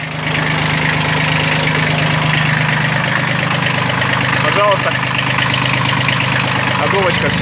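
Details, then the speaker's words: Kubota B1502 Japanese mini tractor diesel with rotary tiller, 15 hp: steady, even idle with smooth low thrum, no knocks or misses, running evenly and cleanly before shutdown; normal healthy idle. "dmitry работает ровно четко все заглушим его"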